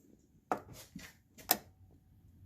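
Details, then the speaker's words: 2010 Hyundai Tucson EVAP troubleshooting, engine warm with coolant above 80 °C, scan-tool clocked test of the EVAP canister vent valve: sharp separate clicks about once a second as the valve cycles open and shut on command, not stuck, test passed. "Now it's going to turn it on and off, which means it's clocked. And you can take a test light and check that, but we can mechanically hear it. Nothing's stuck."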